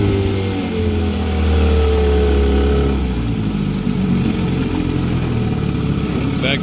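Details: Smooth two-stroke buzz settling from a higher pull back toward idle in forward gear, with no misfire or rattle. This is a serviced 1974 Johnson 15hp outboard with low-tension magneto on a pond test. Runs clean in gear.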